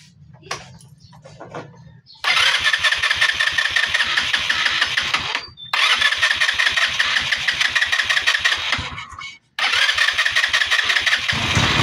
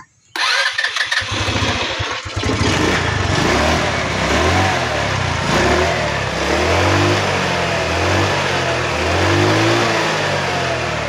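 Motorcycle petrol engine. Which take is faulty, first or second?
first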